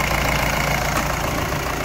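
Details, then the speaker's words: Mahindra Bolero Pickup maxi truck diesel, about 3 lakh km, after overhaul with new liners for oil consumption, fully warm: steady even idle with soft regular clatter, no puffing, no back pressure or spatter; normal warm idle. "Starting ਵੀ ਬਿਲਕੁਲ okay ਆ ਗਰਮ ਹੋ ਗਏ ਤੇ ਜਿਹੜੀ pack compressor ਉਹ ਵੀ ਬਿਲਕੁਲ okay ਆ ਜੀ ਤੁਸੀਂ ਦੇਖ ਸਕਦੇ ਹ ਕੋਈ ਬੈਕ ਅਮ ਪ੍ਰੈਸ਼ਰ ਨਹੀਂ ਕੋਈ ਛਿੱਟਾ ਨਹੀਂ ਕੋਈ ਬੈਕ ਕੰਪਰੈਸ਼ਰ"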